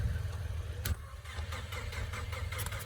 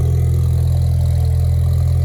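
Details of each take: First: 2016 Ford Mustang EcoBoost, new engine tuned on E85 with big Precision turbo, auction car after kill switch bypassed, almost full fuel: steady starter cranking with even low chug, not catching; long crank before starting. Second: 2016 Ford Mustang EcoBoost, new engine tuned on E85 with big Precision turbo, warming up after start: deep, steady idle with even low rumble, no knocks, ticks or misses, no smoke; normal idle.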